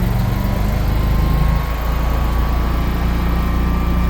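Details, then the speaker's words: Generac 24 kW standby generator, weekly run: low, steady engine drone at constant speed with no surging, knocking or rattles; running normally. "Here goes the Generac 24 kW, fire it up for us."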